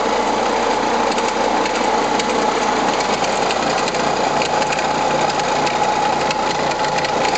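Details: Renault Scénic I phase 2 1.9 dCi 105 diesel; idle with a busy, rapid ticking clatter riding over the run; abnormal engine noise, cause not confirmed.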